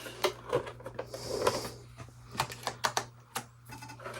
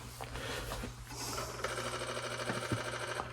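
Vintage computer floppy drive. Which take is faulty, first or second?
second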